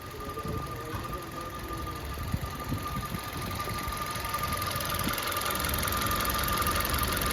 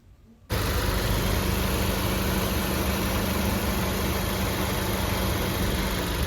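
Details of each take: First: Maruti Baleno petrol, 52,639 km: steady thin, constant-pitch whine at idle from the engine after start-up, clearly heard inside the car when quiet. A full check traced it to the water pump, and the water pump was replaced. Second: Maruti Baleno petrol, 52,639 km, idling after water pump replacement; the kich-kich chirp from the old pump, whose bearing had lost its grease, is gone, leaving a smooth, even idle with a steady low hum; healthy.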